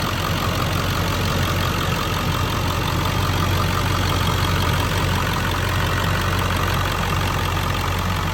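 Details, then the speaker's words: 2001 Ford Excursion XLT 7.3L Powerstroke diesel, 296k miles, stock, new injectors and fuel pump: steady, even idle with smooth low rumble and light regular clatter, no misses or knocks, exhaust showing no smoke; normal diesel idle. "Last little pass here, I'll walk by the exhaust so you can see no smoke or anything blowing out. Sounds fantastic."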